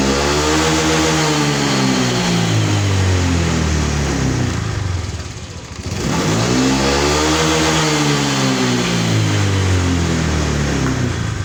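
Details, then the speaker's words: Honda Vario 150 with low power, after throttle body cleaning and DTC reset, weak 11.6 V battery so kick-started: two crisp blips rise and fall smoothly from steady idle without bog or hesitation; normal revving. "Saya akan melakukan pengengkolan dan ini sudah enak guys bisa kita dengarkan Setelah itu kita akan bler gasnya Apakah ngisi atau ngempos"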